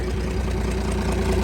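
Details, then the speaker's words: Cummins diesel burnout truck, thought blown up, just restarted: steady even idle clatter over a low rumble with a little exhaust kick "like a sewing machine", said normal and common; front seal suspected leaking, oil low; normal idle. "not a noise at all that's that's normal that's common on these that's just the exhaust he's got a little exhaust kick like a sewing machine"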